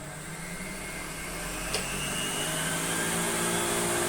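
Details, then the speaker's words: American Viking 507 Electronic vacuum cleaner (US-market Electrolux), first run on its lowest power setting: smooth steady motor hum with a soft whine creeping slightly up in pitch, no rattles or scraping; runs cleanly. "I put it on the lowest power is that if no yep it's moving well that's a very delicate still confident very very good"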